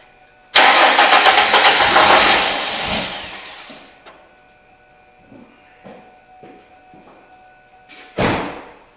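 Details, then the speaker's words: 2002 Ford Mustang 3.8 L, cranks-no-start, after a shot of ether: catches with a loud burst, runs ragged about two seconds then dies; no fuel delivery, fuel pump power next to be checked. "Should start for a moment and then run out of fuel and die out."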